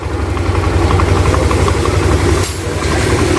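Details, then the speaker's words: Yamaha NMAX new after replacing failed bearings, rocker arm shaft and rocker arm bearing that caused rough top-end noise: even, steady single-cylinder idle around four beats a second, no ticking or rattle, fine when revved; normal running. "Dan untuk sekarang sih aman tuh, digeber ini aman. Nah, ini untuk suara ininya aman sekarang."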